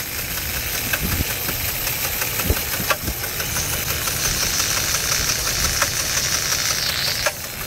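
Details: 2004 Jeep Liberty Renegade on a cold start, very high km and no oil change in over 100,000 km: sharp, irregular metallic knocks from the front near the timing area. Owner suspects a collapsed lifter, a dropped rocker arm or timing; unconfirmed.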